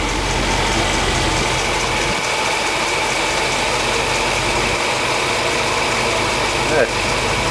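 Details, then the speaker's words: 1977 Mercedes 450 SLC petrol V8 after auxiliary air valve work for high cold idle and near-stalling warm: warm idle slow and even, steady hum, no knocks or misses, about 600 rpm versus 750 spec. "I think we'll just leave it like that. I think that's okay. I'll put it in drive and test it. Yeah, it's only doing about 600 RPM."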